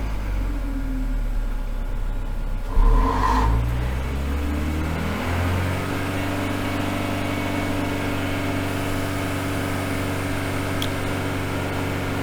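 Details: Engine on a dyno in limp mode after a battery disconnect: revs climb sluggishly, then hang at a flat low note; suspected the dyno water pumps running created enough load to stop it revving.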